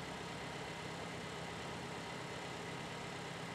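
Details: 2015 Toyota Corolla with start-stall complaint and P0351–P0354 ignition coil codes, scope back-probing coil 3 IGT/IGF circuits: quiet, even idle with a smooth steady hum, no stumbles or stalling; engine running properly.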